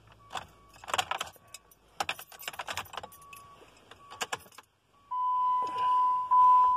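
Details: 2010 Jeep Compass: keys rattle and steady warning chimes sound, but the starter never turns; no crank, no start, cause not found.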